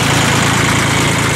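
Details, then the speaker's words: 1986 Ford 1910 tractor, 32 hp three-cylinder diesel with glow plugs, 1,325 hours, gear transmission: steady, even idle with a regular low thrum and no knocks or misses, a healthy-running engine. "It is a gear transmission. Tires are good. Engine runs good, obviously, as you can hear."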